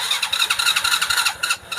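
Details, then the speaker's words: Honda Supra Fit (KRS) motorcycle with DC CDI ignition: the electric starter whirs in fast, uneven pulses but the engine never fires, yet it starts at once with the kickstarter. "Itu tidak cukup kuat. Mesinnya tidak mau menyala."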